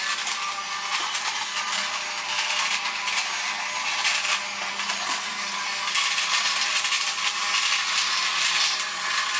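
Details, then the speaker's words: Vintage toy robot's small motor, previously stuck, freed by kicking it by hand; it has a plastic gear. A thin, high buzzing whir runs steadily once freed. Sluggish motor running after being freed. "Ah, there we go. Just by kicking that motor with my hand."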